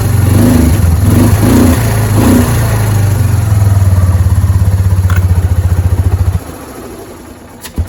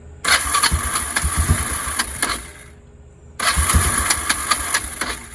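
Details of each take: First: Kawasaki Prairie 300 after exhaust repair: single-cylinder thumping evenly with blips, then dying; much quieter than before, no hiss at the exhaust, good seal. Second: Kawasaki Prairie 300 ATV after exhaust work: engine catches, runs unevenly and dies between attempts; it had run out of fuel.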